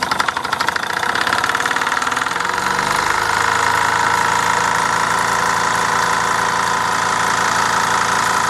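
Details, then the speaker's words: Mamod SE3 toy steam engine, recently cleaned and tightened, running under steam: a fast, uneven chuffing knock with a harsh metallic edge, idling a bit rough and likened to a diesel; the owner is unsure the crank or valve position is right. "sounds like a diesel M it idle bit rough"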